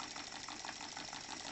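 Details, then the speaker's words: New Stuart D10 twin steam engine on compressed air at 500 g, both cylinders fed, drain cocks open blowing some air; quick, even exhaust beat with light airy hiss, no missed strokes or knocking, smooth normal running. "En anglais, on dit que le fonctionnement est smooth. Il est doux."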